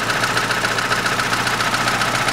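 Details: 2006 Chevrolet Lanos, 1.5 petrol, manual, 342,000 km, idle after replacing a hydraulic lifter and a rocker: the loud knock is gone and it runs quieter, but a quick, even light tick remains from the worn cam lobe.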